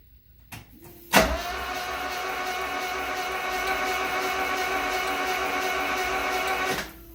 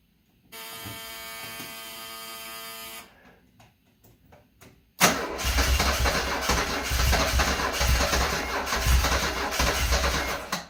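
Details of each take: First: 1974 Alfa Romeo Spider Veloce, 10K original miles, stored 30 years; starter test with spark plugs out after cooling leak repair: steady even whirring drone about five seconds, light hum, no clunks or binding; engine rotates freely, no fuel smell yet; normal cranking. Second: 1974 Alfa Romeo Spider Veloce, 10K original miles, stored 30 years; starting fluid sprayed in intake: starter whirs few seconds, weak pops, catches roughly on fluid only; fuel injection fuse left out, injectors unpowered.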